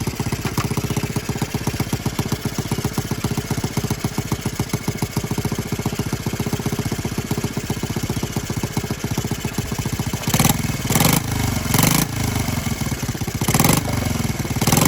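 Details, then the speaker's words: Honda Z50R restoration, first start with muffler, no choke, idling: small single-cylinder chuffs with a sharp leaky puff each firing and throttle blips; gas leaking at cylinder head because head cover bolts were only finger-tightened after valve adjustment. "no more leaky and no more gassy leak gone again if you couldn't hear it when i when the bike was running i had when we did the valves and i put the cylinder head cover back on i just finger tighten them i forgot to completely tighten them up"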